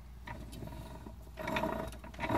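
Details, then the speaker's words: Tremec TR3650 5-speed from a 2005 Mustang GT, run without fluid, input shaft spun by hand on the bench: rough gravelly grinding each spin from broken, worn gear teeth; bad input shaft and cluster shaft suspected. "whenever you hear that in a transmission that means you've got broken and worn teeth"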